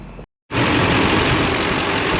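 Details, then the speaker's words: 2005 Chevy 2500HD LLY Duramax 6.6 turbo diesel after head gasket replacement, no codes, good oil pressure, recorded outside: strong even clatter at steady idle, no misses or knocks; runs healthy. "The everything looks to be doing good, and I'll show you a video of the outside of it running."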